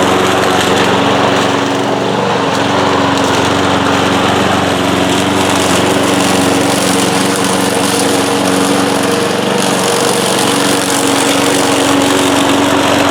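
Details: 1992 Cub Cadet push mower, trash-picked and nearly 30 years old, running after not starting on the first try: a steady, even drone that holds its pitch without stumbles or knocks; runs clean.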